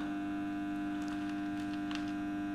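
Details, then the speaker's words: 1 kW solar setup, battery nearly full, inverter just put under full load, charging current rising to around 20 A: constant electrical hum with steady pitch and faint higher whine; normal inverter noise under load. "और क्योंकि inverter पे load पड़ता है तो inverter थोड़ा, ये आवाज़ जो आ रही है इन्वर्टर की आवाज़ आ रही है।"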